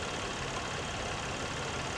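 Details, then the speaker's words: Petrol V6 at idle, engine bay, salvage auction car; steady even idle with no ticking or knocking heard, seems half decent. Normal idle. "half decent. I don't hear it really ticking or anything."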